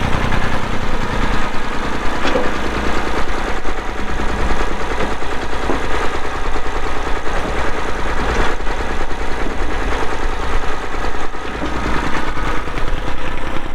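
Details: 1990 Massey Ferguson 231 tractor with a Perkins diesel, about 2,898 hours, started for an operational run, clatters steadily at low idle with an even, heavy knock rhythm that holds speed; normal running engine.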